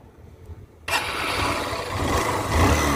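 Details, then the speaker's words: Honda SP Shine BS4 motorcycle with failed engine: starts and runs rough and uneven, dull knocking rumble under exhaust; bike runs hard and very tight, smoke visible, engine low on oil as it consumed it; worn bottom end suspected. "బండి sound engine sound అనేది ఈ విధంగా అయితే వస్తుందన్నమాట కాకపోతే మనకు బండి అనేది హార్డ్ గా వెళ్లడము చానా విపరీతంగా టైట్ గా వెళ్ళడం ఇలాంటివి అయితే జరుగుతా ఉన్నాయి అన్నమాట"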